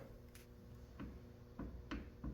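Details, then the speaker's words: 2013 Camaro CV axle rocked by hand with hub off: loose dull clicks and noticeable play, no grinding; worn CV joint, suspected cause of highway-speed vibration under load, far more play than a brand-new axle. "that's quite a bit of play, as far as I can tell."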